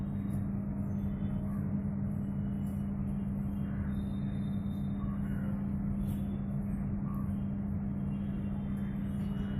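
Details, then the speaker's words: LG MS1911HE microwave oven fan motor after greasing and oiling: smooth even low hum with no groaning or rattle; previously loud noise now gone, normal running. "LG microwave जो आवाज आ रहा था उसको हमने मोटर को हमने ग्रीसिंग और वायलिंग किया। आवाज बंद हो चुका है।"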